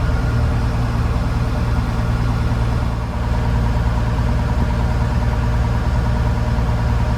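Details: Case TR310B skid steer diesel at its 100-hour service, after oil, fuel filter and fuel/water separator changes; deep even rumble holding steady idle without stumbling or dying over a minute, so no air in fuel system: normal idle.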